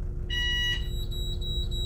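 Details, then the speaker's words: FCC Starter LE bus, stop-request (arrêt demandé) button. A bright two-tone chime rings once on pressing, then a steady high beep holds while the indicator lights: a normal stop-request signal. "Voilà, ça c'est le bouton arrêt demandé."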